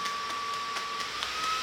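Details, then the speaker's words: Titan TTC-SC60(B) caravan ventilation fan stepped up to its next, higher speed setting (settings marked 10 to 240): strong, even rush of air with steady mid-pitched motor tone and faint regular flutter; normal high-speed fan operation. "And there's the next level. So we've got a good old airflow there."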